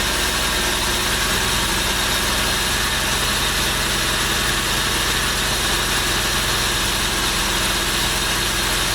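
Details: 1996 Chevy truck V6 with the cylinder heads and cam from the 1994 original engine, in a MerCruiser ski boat, first start after the rebuild: gas is poured in with the fuel pump unhooked. A steady, even idle with a smooth hum and no knocks or misses. Normal idle.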